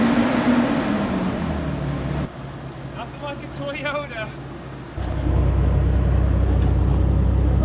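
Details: 2004 Toyota Tundra 3.4L after sinking at a boat ramp. Most of the water has been drained from the fuel, though some remains. The engine catches and settles into a steady low rumble with no knocking or stumbling; it runs fine again.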